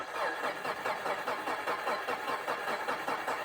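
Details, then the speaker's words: Subaru after mud got into intake, MAF cleaned and throttle body cleaned, now idles where it wouldn't before; uneven lumpy pulses about two and a half a second, rough idle, owner suspects throttle position sensor. "Okay, not perfect, but actually a little better. It wasn't idle before, so at least it'll idle now. I think we might have a throttle positioning sensor problem."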